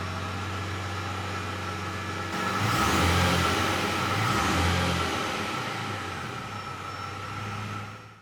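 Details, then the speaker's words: Aston Martin DB7 after new rear muffler ends were fitted, lowered and started: the engine catches, revs up, then settles into a deep even idle burble with no knocks or rattles; normal start and idle with a healthy exhaust. "So yeah, so what I'm going to do now, I'm going to drop it down and start it up, and you can hear the lovely sound on it."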